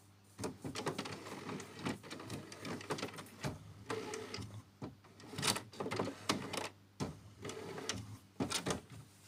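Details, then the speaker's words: HP Smart Tank 750 printer running its second-phase head cleaning, started by pressing power, then color twice and black once; irregular whirs, clicks and short motor bursts as the carriage shuttles, a normal cleaning cycle. "So the second phase, you still press the power button, then you press color once, twice, then black once. The printer is gonna start and we're gonna hear the noise."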